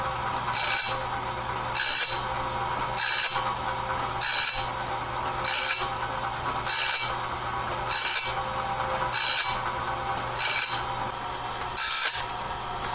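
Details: Clarke heavy-duty sawmill blade sharpener sharpening a 2-inch-wide, 223-inch bandsaw blade; regular gritty grinding bursts about every 1.2 seconds, evenly spaced with steady strength, working normally and leaving the blade fully sharpened.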